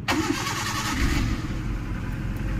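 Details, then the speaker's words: Maruti Suzuki Eeco final check after starter repair (broken body connection and shorted starter fixed; carbon brushes, body and auto switch replaced): brief crank, the engine catches at once and settles into a steady, even run; normal start. "গাড়ি ভাইজান কথা বলতে হবে, বোঝা গেল? System দেখেছেন? Running গাড়ি কিন্তু ভাইজান।"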